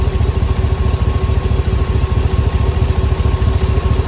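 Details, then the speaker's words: LQ9 6.0 V8 first startup after valve job, head gasket and lifter replacement: steady deep idle with a light puffing tick from an exhaust manifold leak with two broken and three missing bolts; lifter tick gone. "I don't hear that lifter anymore. It's just an exhaust leak."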